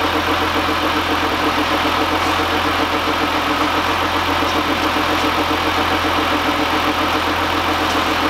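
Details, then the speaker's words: 2015 GMC Sierra at idle after an AC condenser replacement and oil change: a faint rapid ticking of about three to four per second over the hum, seeming to come from one side but possibly echoing. Cause not found; a belt-off test is planned. "it sounds like it's coming from over here but it could be echoing over"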